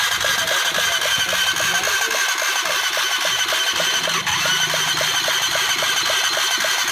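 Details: Honda CBR 150 single, engine previously fully seized, now reassembled with timing set: buzzes along at a steady fast idle with an even light ticking, about four per second; rebuilt engine running healthy.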